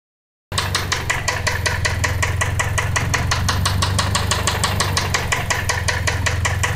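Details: Toyota Celica idling with a steady, sharp metallic knock several times a second over a low hum; rod knock suspected, not confirmed.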